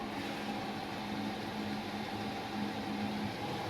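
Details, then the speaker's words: Newly installed Chinese diesel air heater in a UK self-build camper van, running full output with very hot outlet air: steady even hum with faint constant tone, no surging or rattles; working normally. "Anyway, it's done, it's in, it's working."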